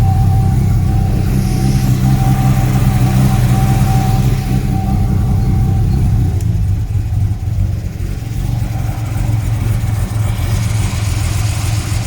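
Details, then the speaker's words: BMW B220 carburetted engine in Sunseeker XPS 25 powerboat, first run after years sitting with old non-ethanol fuel; points and carbs untouched: deep smooth steady idle with occasional faint stumble, slight miss expected to clear out. "awesome that one sounds like it's missing a tiny bit but it'll clear out certainly very smooth on tick over nice right"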